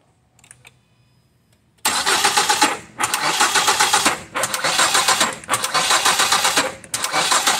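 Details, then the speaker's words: 2007 Ford Fusion, no start, after a new battery and new starter: cranking comes in bursts that stop dead about every 1.25 seconds, kicking back against compression. Engine suspected out of time. "uh find out starters bad replace it and now when we go to crank it this is what it sounds like"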